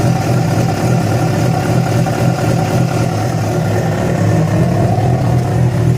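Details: Yamaha FZ6 engine running with a rough, uneven low rumble and a faint mechanical noise; began after riding about 70 km on two cylinders due to a failed ignition coil connector; no clear cause.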